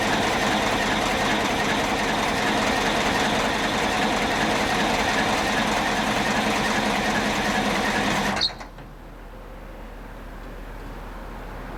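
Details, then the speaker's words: 1972 Terex loader, 4-71 diesel, no block heater or glow plugs, cold start near freezing: fast, even diesel clatter at a steady rate, then it cuts off sharply; a healthy engine running cold. "So I thought that I'd just do a nice, nasty, nasty cold start here."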